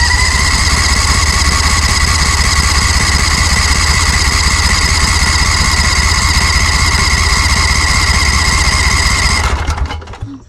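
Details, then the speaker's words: Briggs & Stratton Vanguard 20 HP V-Twin on a zero-turn mower: uneven loping run with thin high ringing, then shuts off; mouse-chewed ignition coil wire sparking to intake manifold, grounding out and killing one cylinder; coil to be replaced. "you may have seen sparks jumping over to the intake manifold. So that's grounding it out."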